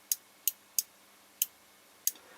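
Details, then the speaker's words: Airsoft Entrepôt V2 Xtra Precision Ama Tsu Maru gearbox, electrical contact is a microswitch rather than contact blades, clicked by hand during teardown: five crisp, sharp clicks; clean, normal microswitch action. "ben c'est pas mal parce qu'au lieu d'avoir en fait une palette qui va venir entrer en contact avec deux palettes latérales ici et ben c'est comme un mini interrupteur donc c'est vraiment sympa"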